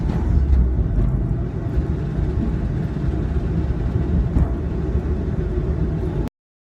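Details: 1995 Pontiac Firefly small petrol engine running with a heavy, choppy low-pitched knocking under a rough rumble; cause unknown.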